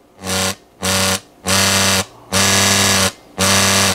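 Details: Montgomery Ward Airline 74WG-1510A AM tube radio on a two-bulb limiter: loud buzzing hum switching on and off about once a second with bright, raspy overtones, level following the volume control; cause not yet found.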